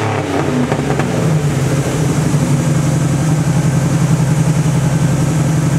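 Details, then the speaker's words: 1986 Cadillac Cimarron 2.8L V6 after tune-up (EGR valve, battery terminals, distributor cap, rotor, ignition module cleaned): smooth, even idle with a steady low pulse and no knocks or misses, purring nicely; exhaust likely needs work; normal running. "but it sounds like it's purring like a kitty right now it's running really nice"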